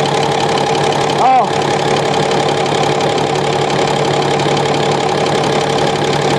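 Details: Komatsu SAA6D140E-5 diesel, first run after engine work including injector gasket replacement, valve cover off checking oil flow at rockers: even idle with steady mid-pitched clatter, no knocks or misses; oil reaching top end, healthy.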